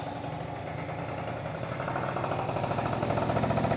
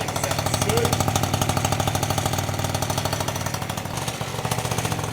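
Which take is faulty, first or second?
second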